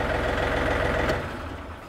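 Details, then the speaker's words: John Deere 3520 tractor Tier 3 diesel, 3672 hours, after throttle cable replacement: steady even clatter at 2800 rpm high idle, non-adjustable per EPA, above PTO speed, then dropping away; smooth with no misses, normal high idle. "so yeah so anyway we didn't have any adjustment on that which is fine cuz it goes above the PTO speed anyway"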